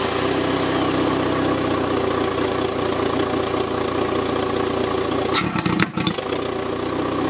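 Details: Citroën; loud, uneven idle that sags sharply near the end then recovers; drive-by-wire throttle readings matched the pedal, but its idle air opening suits the engine poorly; unstable idle before closing it slightly.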